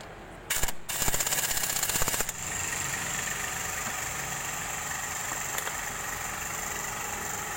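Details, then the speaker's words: 2012 Daihatsu Xenia 1300cc idling with AC on; the AC doesn't cool and rpm rises. A dry rasping scrape comes from the broken centre piece of the compressor magnetic clutch plate rubbing the pulley. "jadi ketika dinyalakan mesin udah terdengar suara the kayak gesekan-gesekan ini dari senterpis ke polisi"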